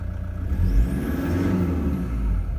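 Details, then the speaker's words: 2015 Toyota Prado 150 with the 1KD-FTV diesel, about 90,000 km, running cold at about 7 °C outside under light load: a low, even rumble with no knock or rattle standing out, very quiet for a cold diesel. "these are diesel engines they do make some noise but in my opinion that's very quiet for a cold engine"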